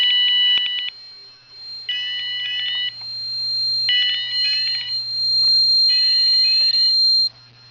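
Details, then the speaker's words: Advanced MX4100 fire panel put into alarm via cause-and-effect function 2 (shed): repeating bursts of sharp, high alarm beeps, each with a rough crackly edge; owner suspects the piezo coming loose, unconfirmed. "I'm not quite sure why that's cracking. Maybe the piezo is coming loose or something."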